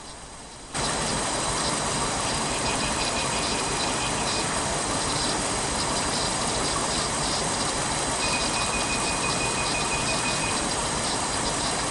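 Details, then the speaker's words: Petrol engine idling rough with one cylinder not firing, causing low power and vibration; busy injector ticking with steady test-probe tones. Probe shows no response at injector 2 despite a good drive pulse, so injector 2 itself has failed. "그럼 이제 실제 차량에서 싱싱 프를 이용해서 점검해 보겠습니다이 차량은 실린더 하나가 폭발하지 않아서 출력이 부족하고 진동을 수반하는 일명 바하는 엔진입니다"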